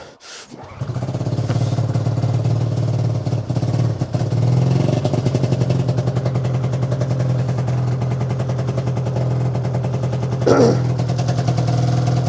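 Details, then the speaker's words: 2005 Arctic Cat Firecat F6 two-stroke snowmobile, sat since last winter, started cold at -7°: engine coughs, catches and runs raggedly with dips in speed, struggling to keep firing. Hard cold start, sputtering. "It wants to go. Come on. She almost went. She's cold."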